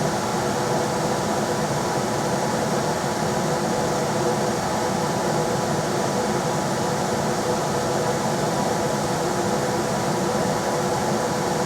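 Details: Rheem RBH residential air handler after its squeaking, non-serviceable blower motor was replaced with a 1030 rpm motor (old one 825 rpm): running on high with a smooth, constant airflow whoosh and a steady motor tone, no knocks or scraping. Normal blower operation.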